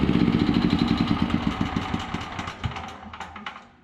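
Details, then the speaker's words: Generac GP5500 generator engine, run after sitting a year or two with oil found as thick as grease: steady thumping knock about four times a second, faint when cold, worse as it warms, fading as it runs down; cause unconfirmed. "so I'm not sure how that's sounding on the camera but when I first started this thing cold it didn't sound too bad but as it warms up she starts to knock a little"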